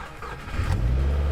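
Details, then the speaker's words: Wrecked Copart Subaru WRX being rebuilt, on jump box, fuel pump heard priming: short crank, clean catch, steady even low idle; normal engine start. "wow man i am so happy i was able to get that started"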